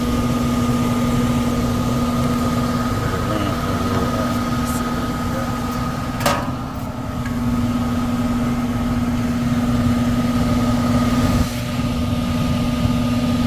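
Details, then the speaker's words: 1999 HVAC unit, about 25 years old: worn blower motor gives a steady hum with a slightly uneven shake in the drone; tech recommends replacing the blower motor. "Y'all can hear that, but you know, got a nice little shake to it. You see the tree shaking."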